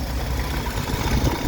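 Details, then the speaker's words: Old Dodge 4x4 pickup during a used-truck inspection, idling, listened to near the valve cover: low, even idle rumble with no valve noise, knocks or ticks, not overly loud; a good-running engine, though one pulley wobbles and makes noise. "but I can't hear any knocks Tings bangs and it's not super loud"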